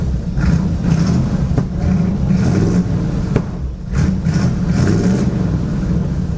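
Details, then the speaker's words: 1963 Chevy Nova four-door after a quick homemade exhaust with new mufflers and a balance tube; deep throaty rumble swelling with throttle blips, much quieter and muffled, normal exhaust. "That's much quieter. From inside the car, this thing sounds Pretty tough, actually."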